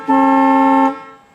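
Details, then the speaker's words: 1965 Cadillac Eldorado convertible horn sounded from inside the car: loud, steady chord of tones for about a second, clean and strong with no rasp or wavering; horns working normally, described as tremendous. "That is a tremendous horn. That's just delightful."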